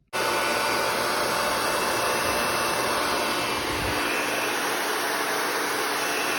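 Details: Asus Zephyrus G14 laptop with loud, steady rushing fan and a faint whistle, no clear rattle; owner suspects the common G14 CPU fan bearing problem that cleaning won't fix, unconfirmed.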